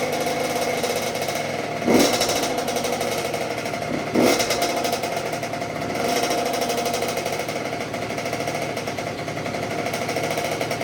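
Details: 2006 Honda CR85 two-stroke after a Wiseco rebuild (new crank, piston, seals, bearings, gaskets), first break-in heat cycle on choke: an even, buzzy idle with short rev blips, no rattling or knocking. Healthy.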